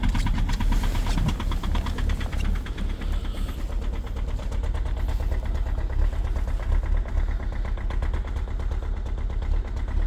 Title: EXTREME START diesel at -22,0°C with a very strong knocking sound, egr off 2.0 hdi #rybin